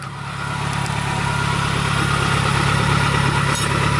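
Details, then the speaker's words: First start after reinstalling the engine and transmission: steady, deep, raspy idle, louder and more open than stock, with a normal long-standing ticking; the exhaust has no muffler and is open after the cat, with no knocks. "There's no muffler on that right now, so it's actually a little bit loud, louder than it would be."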